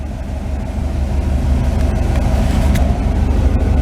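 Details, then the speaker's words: V8 with MSD electronic distributor, rebuilt after a burnt control module, new coil and plugs, slightly cold: fires right up, then a steady low burble at idle with even firing and no knocks or misses while timing is readjusted; normal idle. "Firing it up. Fires right up. Running nice. Now adjust the timing back up. Nice and smooth."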